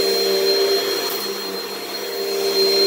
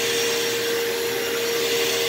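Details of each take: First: Repaired Hoover vacuum, the cheapest of a saved lot, running after repair: a smooth, steady high-pitched motor whine with airflow rush and no grinding or rattle. Normal, healthy running. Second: Partly repaired vacuum that is hard to push: a steady high motor whine with a strong tone near 450 Hz and an airy rush. The motor runs and suction is much better than before, but the motor still needs more work.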